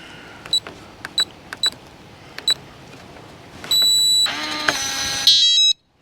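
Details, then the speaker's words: RV door lock, keypad code entered then lock: several short high keypad beeps, then a steady motor whir for about two seconds as the bolt throws; code remembered, works normally. "it did it remembered it so i typed in the code hit lock the little lock tab came out so if the door was shut it would be locked"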